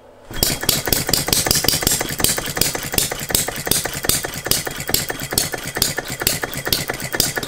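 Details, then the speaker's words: Philip Duclos Odds n Ends hit-and-miss model engine: about three firing knocks a second with wandering spacing, and speed never climbs. The governor is latching and holding speed back, so the owner then restricted it. "but i found that the governor's latching on stopping it from increasing the speed"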